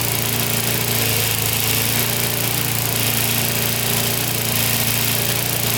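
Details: Older Briggs & Stratton 3.5–4.5 hp mower engine with carb on metal tank, after carburetor diaphragm replacement and cleaning: steady, even buzz with no surging or misses. The carburetor now feeds it properly and it's healthy.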